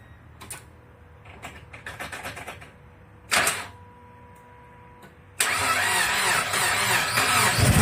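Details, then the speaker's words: Mazda Miata (1997 or 1998) on its first startup after head gasket replacement, small battery freshly charged, prime attempted by bumping the key. A few clicks and a short crank, then it catches at once and runs evenly. A clean start. "well I'll be down it started right on up I tried to prime it but you have to bump the key over for the prime"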